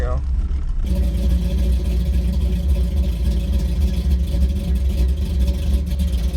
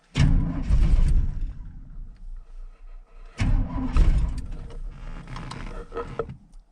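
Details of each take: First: 1983 Chevy C10 with a cammed small-block, cold start in snowy weather, carburetor with no choke and a tune not made for easy starts. It settles into a deep, choppy V8 idle with an uneven lope of about three to four beats a second, typical of a big camshaft. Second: 1983 Chevy C10 small block with a big cam and a tune not meant for easy starts, no choke on the carburetor, snowy cold weather: two long stretches of slow, uneven cranking that never catch until fuel pressure builds; hard cold start.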